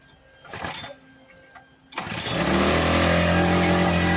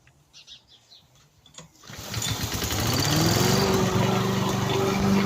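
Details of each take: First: Victa lawn mower: after some clatter it fires and holds one steady high flat-out drone, throttle has no effect; stuck at full revs, something inside suspected of holding it there. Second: Victa petrol lawn mower after repair, blades refitted, previously stuck at full revs with throttle not adjusting: pulls into life after a couple of seconds, then settles to a steady, even buzz without surging or misfire; running normally.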